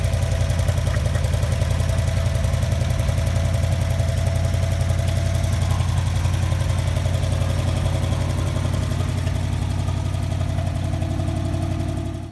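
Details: 1959 Chevy Bel Air with 283 2bbl V8, revived after sitting in a Kansas field since 1976, now running and driving; steady even low rumble at idle with no knocks or misses, then shut-off.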